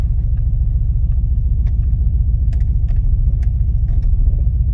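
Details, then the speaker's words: Ford Focus ST 5-cylinder, new MAF sensor fitted: low idle rumble with uneven, lumpy beat three to four times a second; still misfiring, no engine management light, cause unknown. "Still missing. Um there's no engine management light. So I don't know."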